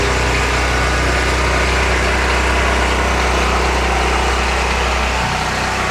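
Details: New FIRMAN P03501 3550 gas generator, choke on, right after first-pull cold start, no load: steady even hum, no surging, misfires or rattles; normal running on choke.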